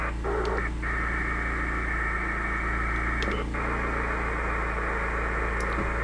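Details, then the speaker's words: Inverter generator RF interference heard on a ham radio with a 17 ft whip on a van: steady hiss, buzz and low hum. Five Fair-Rite ferrite beads on the cable cut it from a noise level of around 55 to between 1 and 2. "So, now I have five beads on there. It went from around a 55 noise level down to actually between one and two."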